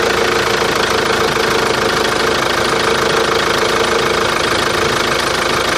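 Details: Chevrolet Captiva diesel: fast, fairly even rattling knock at idle over the diesel clatter, steady speed, extraneous engine noise with origin not yet pinned down.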